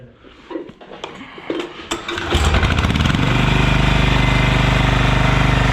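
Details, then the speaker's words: Yağmur YET 300 single-cylinder diesel rototiller that had tipped over, then misfired, stalled and wouldn't pull over, after repair: cranks about two seconds, catches, even thump, no tapping. Normal start and idle. "Evet şimdi motor çalıştırıp Deneyelim deneyelim mi"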